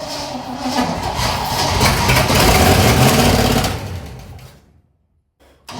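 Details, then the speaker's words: 1959 Corvette after 30+ years sitting: engine catches, runs one to two seconds with great oil pressure and sounds fairly decent, then fades and stalls; fuel issue, carburetor needs rebuilding or replacing. "at this point we know the car starts and it actually sounds fairly decent for how long it's been sitting has great oil pressure for the one to two seconds that it was actually running and at this point we have a fuel issue"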